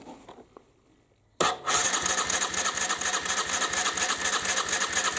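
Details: 1998 Aprilia Leonardo 125 scooter after carburettor cleaning and a new battery: after a short silence the starter cranks at a steady, even rhythm but never catches, because the fuel pump must first fill the empty float bowl.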